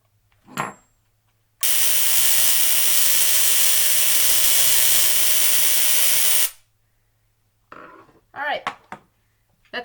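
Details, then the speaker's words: Tesla coil after the spark gap was fixed with a third nail, so it no longer turns off: loud, even buzzing hiss of sparks arcing off the top for about five seconds, steady between quiet gaps, running normally. "and the coil can run for a while, can actually run indefinitely without turning off like it was before. So I'll leave you guys with a little bit of arcing off the top of here."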